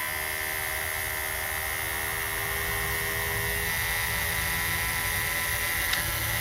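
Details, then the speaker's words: Cat 922B loader, reassembled small electric vane fuel pump running on a battery: a thin, steady high whine, as if spinning dry; the owner suspects the fuel level is below the pickup and it needs topping off. "Well, I think I might have to add some fuel. That it might be below the pickup now."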